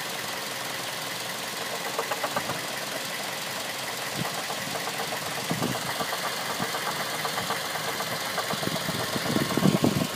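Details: 2006 Mazda 3 at idle: sharp ticking knock repeating about two or three times a second; cause unknown.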